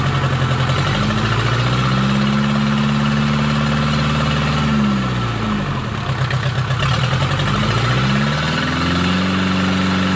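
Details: Mercedes 240D OM616 diesel, reassembled after sitting about a year and a half, 124k miles, restarted after cold start: even clatter lifting briefly and settling smoothly, no knocks or bangs, slight smoke from old fuel; normal idle.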